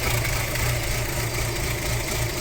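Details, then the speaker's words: Audi A4 B6 2.0 ALT engine at cold idle: lumpy, uneven running with irregular low thumps, shaking badly. Happens only when cold. Owner suspects the cam phaser or a broken tooth, possibly also the lambda sensor; unconfirmed. "Дело в том, что это происходит только на холодную, когда двигатель холодный. Он сейчас, вы видите, его прям колбасит."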